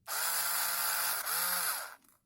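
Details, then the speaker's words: Electric screwdriver/drill whose dead 1.2 V NiCd cells were replaced by a single-cell power bank giving slightly lower voltage: clean high whir in two short runs, spinning up evenly; runs normally, though the worn forward button sticks. "slightly less voltage but it it's still usable as you can hear"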